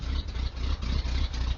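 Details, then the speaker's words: 1980 Ford F150 351M V8 on a cold day: deep steady idle with an even, slightly lumpy low beat, no knocks, misses or ticks; normal idle. "what it sounds pretty mean you can if you can hear it's got the big block in it"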